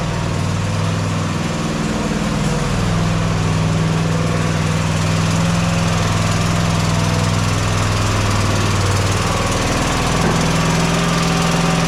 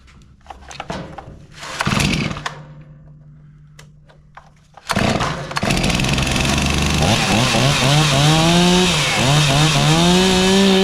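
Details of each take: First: Mower at steady idle: constant airy whoosh hissing over the engine beat; compression escaping past a blown head gasket, confirmed by spray showing leakage at the head gasket. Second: Chainsaw after the old fuel was emptied and the carburetor adjusted. Two pull starts, then it catches and runs with clean, even revving up and down; sounds healthy and crisp.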